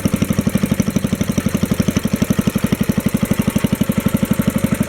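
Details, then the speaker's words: 1964 Wheel Horse 704 single-cylinder Kohler engine after a worn rod and crank were reworked to fix a rod knock: even idle with no rod knock, light lifter tapping, and the belt flapping against the belt guard, with furnace noise in the background. "don't hear any rod noise now i can hear the lifters tapping and i can hear the belt flapping against the belt guard"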